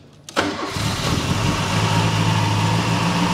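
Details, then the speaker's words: Restored Mk1 Ford Escort 4-door with Pinto engine, first start after ground-up restoration once spark, fuel and compression confirmed: brief crank, catches first try, settles into steady even idle; healthy start, some smoke. "happy [Music] [Applause] sounds good"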